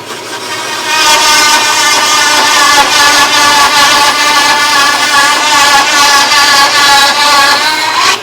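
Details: Harbor Freight bandsaw with upgraded Leeson 1 hp 1725 rpm motor, belt on the second pulley step on both wheels, one-inch test cut: steady, even blade whine holding pitch under load, no bogging.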